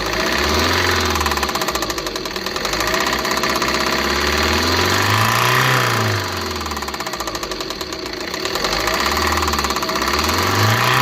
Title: TATA INTRA V30 BS6 KNOCKING SOUND